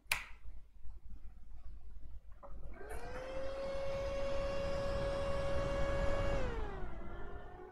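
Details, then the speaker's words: Lenovo ThinkCentre M72e motherboard after no-display repair, CPU heatsink not yet installed: steady fan whine drops smoothly to lower speed once 0.9 V core voltage appears; normal fan speed control. "yes and we have 0.9 volt and the fan slows down"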